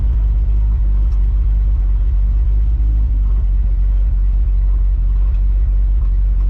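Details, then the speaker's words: 1970 Dodge D100 automatic on a road test after a rear end swap, modified driveshaft and added limited-slip additive: steady low engine drone and a smooth 2-3 upshift with the driver lifting off slightly, no bang; it used to slam into third at the wrong RPM. "But from my last couple of test drives in it, it's been smooth shifting into third, but I do still have to lift off a little bit, so I d"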